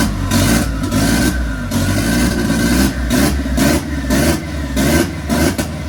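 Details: Mk1 Ford Fiesta with a Zetec turbo engine now on all cylinders, fuel being pulled from the ECU map: lumpy, surging blips with pops and big exhaust flames; extremely rich, with the wideband gauges disagreeing (10 vs 17).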